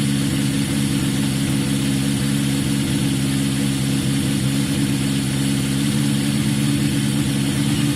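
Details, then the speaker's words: Yamaha XJ550 after carb work, cold start on choke: steady, even four-cylinder idle with no misses or knocks; sounds as good as before, idle still to be adjusted. "I mean, at this stage, it at least sounds as good as it did before. That's a good start."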